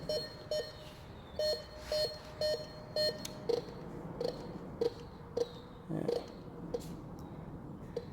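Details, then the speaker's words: Metal detector in a dried-up creek bed: short repeated beeps, higher then lower broken tone on each coil sweep, a junk signal, probably an aluminum can (suspected, not dug). "Yeah. It's a junk signal. It's probably an aluminum can."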